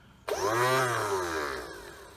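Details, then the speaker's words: 2.5 L 140 hp OMC sterndrive on a 1981 Sea Sprite, tilt/trim motor tested: sharp electric whine rises slightly, then drops and fades, running smoothly and healthy; normal tilt motor operation. "Hey, we got her working. Beautiful."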